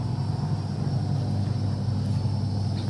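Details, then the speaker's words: AEG Electrolux Lavatherm 59800 condenser dryer, reassembled after a not-heating repair, heard at the back: steady low drum-motor hum with no knocks, scrapes or squeals; running normally and now drying. "And I can actually hear the motor. Didn't realise it's so noisy."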